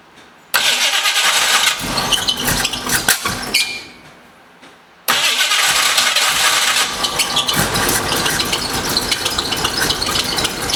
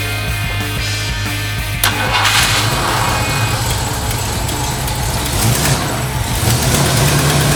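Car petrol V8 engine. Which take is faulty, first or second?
first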